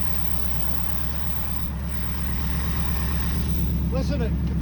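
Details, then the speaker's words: 1964 Buick Riviera V8 revived after 23 years sitting, warming up with the idle turned up a little, charging at 13.2 V: deep, steady, unbroken V8 burble at a slightly raised idle. The engine is running smoothly. "can't charging y 13.2 that's perfector good that sounds sweet great all right sounds beautiful"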